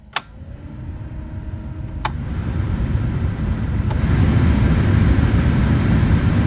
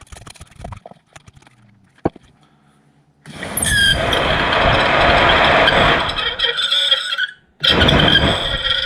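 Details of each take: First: 2006 Corsa C 1.2 blower fan after the resistor was replaced (before, it worked only on setting 4 and was noisy): a click, then an even airy rush that holds steady with no rattle or squeal; normal blower operation. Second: 2006 Vauxhall Corsa C 1.2 interior blower motor, removed and run on a 12 V battery before oiling, fan only worked on speed 4 and was noisy: shrill dry squeal in bursts, stiff; blower motor bearing squeal.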